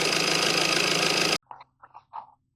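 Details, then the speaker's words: Honda CR-V MK4 1.6 i-DTEC diesel manual, around 15,000-mile service, first start after oil and filter change: harsh rapid clatter at start-up that quickly dies away, because oil was drained and pressure still building. "Don't scare about that noise, because you drain it all the oil. That's why it's like"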